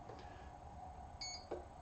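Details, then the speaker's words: Electric RC airplane powered on by plugging in the battery: a couple of short clean high beeps from the motor windings, driven by the speed controller to signal pack cell count and configuration; normal ESC startup beeps. "you can hear it starting to beep that beep is actually coming from the electric motor"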